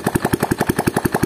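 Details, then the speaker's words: Yamaha Jupiter Z at idle after owner's DIY clutch work: rapid even metal-on-metal clatter about seven times a second; clutch housing rubbing the kickstart shaft. "Nah, seperti ini. Nah, inilah penyebab dari sumber suara yang kita dapatkan ataupun kita dengarkan di awal video tadi."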